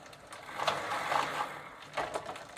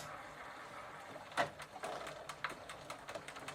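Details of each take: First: 1990 Gazelle bicycle with a Sturmey Archer three-speed internal hub, cleaned, regreased and treated with WD40, shifter in third: light fast clicking bursts from the hub pawls while pedalling, pedalling slightly heavier. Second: Sturmey Archer 3-speed hub on a Gazelle bicycle, after spraying with WD-40 and shifted to the third gear position: light, crisp, loosely uneven pawl ticks with no grinding. The pawls are catching normally.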